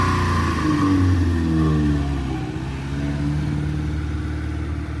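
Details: 1971 Honda 1300 Coupe 9S, air-cooled 1300 four-carb dry-sump four-cylinder, 4-speed, after carb rebuild and ignition cleanup, parking-lot drive: pulls away revving smoothly, steady firing rising cleanly with speed, no misses or knocks.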